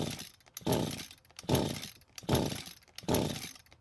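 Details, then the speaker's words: Echo GT200R string trimmer repeatedly pull-started, each attempt catching only briefly and dying. It starts fully choked but dies when not choked, suggesting the engine wants more fuel to stay running. "so we just confirmed that it does start while fully choked and dies when it's not that means the engine wants more fuel to stay running"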